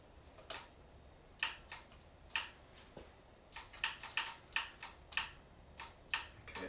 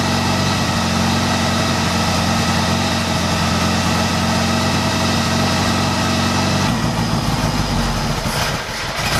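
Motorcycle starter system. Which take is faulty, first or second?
first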